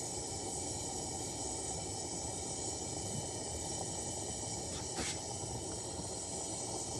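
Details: Coleman pressure lantern on a size 21 mantle: steady hiss with a sudden whooshing flare midway as fuel hisses through. Fireballing from a poor mantle.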